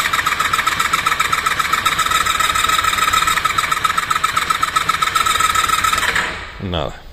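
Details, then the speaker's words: Honda VFR 400R NC30 that won't start (ignition was left on overnight in the van): starter cranks steadily with plug caps removed, no firing; some fuel had spilled; coolant was found low. "Bueno, ahora lo que voy a hacer es sacar las pipas de bujía y le damos al arranque."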